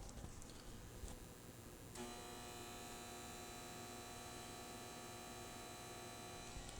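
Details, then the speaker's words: Carver Silver 9t amplifier delivering about 50-60 W into a dummy load, mic right in front: steady mains buzz with a fixed whiny edge. The supply chops the mains sine wave to feed the transformer; this is normal for its design. "So if you heard that, very noisy. Again, this is a very strange animal, the way this thing works. But it is actually chopping up that sine wave that's coming in from your mains and supplying that transformer with just enough chopped up current that it needs to give just the amount of power it needs to"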